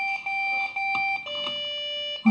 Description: How to fix: Suddenly one of my computers will not boot up. It just BEEP BEEP BEEP BEEPs over and over.